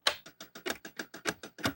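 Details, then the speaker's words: Famicom Disk System drive, tested with a game disk bought untested: about six crisp ticks a second in a short regular burst with no steady spin, as if the pin is not getting in the disk hole; owner suspects bad disks since Metroid works. "That's what I'm talking about. It sounds like the pin is not getting in the hole."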